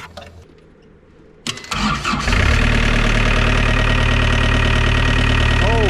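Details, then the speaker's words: ~2000 Gehl CTL60 compact track loader diesel starts with its bad solenoid bypassed by jumpering in a new ground and positive: quick crank, catches within a second, steady even idle. Solenoid, positive and ground were all faulty; normal start and idle. "we learned that the solenoid is bad it did not have the correct positive and it did not have the correct ground so there was three different things wrong with that"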